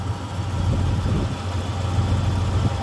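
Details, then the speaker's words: 1993 Ford F-150 5.0 302 V8 with C6, after replacing faulty water temperature sensor that caused flooding, rough idle and hard hot starts: steady even low rumble, no misses or stumbles; idles smoothly. "Oh wow, listen to that thing purr. Jeez, that's how it sounded like before that sensor went."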